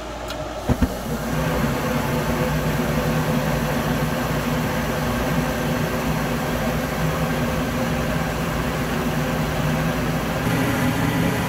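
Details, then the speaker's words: Goodman GKS9 high-efficiency gas furnace switched on after a DIY fix for water leaking, with the bottom-panel safety switch engaged: sharp ignition clicks, then a steady, even burner roar; it lights and runs normally. "reinstall the bottom panel we switch it on automatically you can lift the top open and watch the flame ignite that sounds exciting isn't it get the marshmallow ready"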